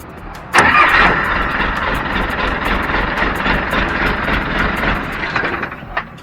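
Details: Mitsubishi military Jeep after starter repair with new Bendix drive, second start to confirm: brief clean crank catching at once into steady idle, no grinding; starter working properly.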